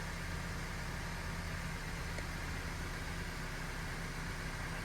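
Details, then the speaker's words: 2017 Honda Civic 1.5 Turbo with check engine, VSA and skid lights, idling: slightly uneven stumbling beat, cylinder 2 misfire; coil suspected, burnt spark plug noted. "señores por lo visto tenemos un Miss fire en el cilindro dos creo que vamos a yo creo que Aquí el problema es bobina es bobina"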